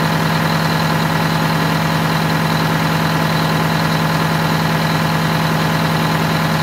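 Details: Wanderlodge bus Detroit Diesel 8V92TA after low-boost fix (new injectors, new turbo, new air filter, correct oil): deep even idle about 200 pulses a minute, no knocks or misses; healthy.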